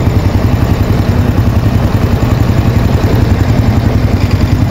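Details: Honda Bravo small single (similar engine to the Wave 100 and XRM 110), not overhauled, reassembled after fixing its noise: idles evenly with a low steady beat; the loose clatter on top is the rear box rattling.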